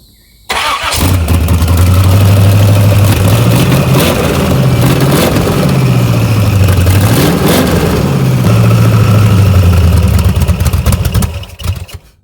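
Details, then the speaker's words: S10 Blazer with swapped SBC 383 V8 and MSD ignition, after replacing burnt number six plug wire: fires up and revs with slightly uneven, lumpy beat at idle and on blips; misfire remains, another burnt plug wire found. "you can still kind of tell it's got a little misfire to it"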